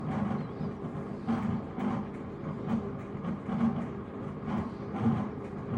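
Deep rumbling with a steady low drone and surges about every second, like a train rolling; something's wrong in the wash drive, cause unclear.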